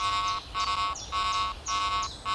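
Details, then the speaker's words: Garrett AT Pro International metal detector with iron audio on, over a nail: a low, buzzy grunting tone pulsing about twice a second, signalling an iron target. "I'm hearing that iron grunt sound that indicates it's an iron Target"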